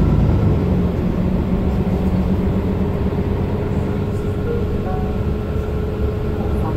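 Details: Mercedes-Benz Citaro O530 LE bus, OM457hLA 12-litre 299 hp Euro 5 diesel, 12,450 kg, ZF Ecolife 6AP1700B automatic, cruising: steady high-pitched gearbox whine at even pitch over the diesel drone, unusually noisy for the fleet; transmission whine.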